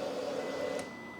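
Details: Honda Fireblade during reinstall of exhaust valve servo after servo delete mod, battery still connected: brief low whir over faint steady tone at key-on, cutting off cleanly as servo drives valve, apparently to closed position.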